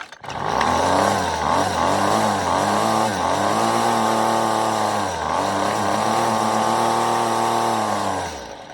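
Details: Weed Eater FeatherLight Plus FL26 two-stroke string trimmer with a new replacement carburetor: high buzzy revs keep swinging up and down every second or so instead of settling; surging idle while the idle screw is being adjusted.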